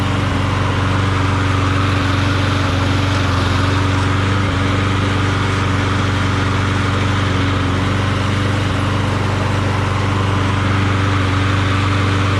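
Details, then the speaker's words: Craftsman push mower after swapping badly knocking Tecumseh Vector 6.75 for Briggs Quantum engine, engine not yet bolted down: steady even single-cylinder drone with no knocks or misses; runs smooth and quiet. "Now that's what I'm talking about. Now I feel good about it. Now this engine runs smooth and quiet and nice, you know."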